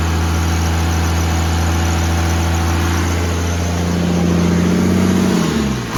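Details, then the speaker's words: 1969 Dodge D200 Sweptline with a swapped 5.9 first-gen 12-valve Cummins, warm after about 25 minutes once the thermostat opened, following a -4°F cold start. Steady, even diesel clatter with a deep, unchanging idle note and a short rev near the end: normal warm idle. "well it took like 25 minutes with the thermostat finally opened up so it was way too loud to talk"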